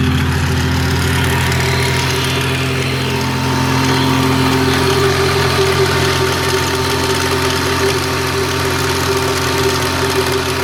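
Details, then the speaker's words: 1997 Lexus SC300 with 2JZ engine, timing belt visibly loose, at idle then revved: light top-end tick about four times a second over the engine hum; owner suspects timing belt, tensioner or valve tap, unconfirmed. "so I'm gonna start up my 2j and let you guys hear the tick see if you can kind of give me information on how to Oh what possible could be"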